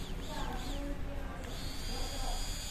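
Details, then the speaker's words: Fuel pump motor bench-tested out of the car, powered from a supply set near 7.9 volts through a fuse: thin, steady high whine comes in partway and holds evenly with no stutter; pump motor spins freely, running normally. "ibig sabihin mga ka-discover, umaandar yung ating fuel pump motor."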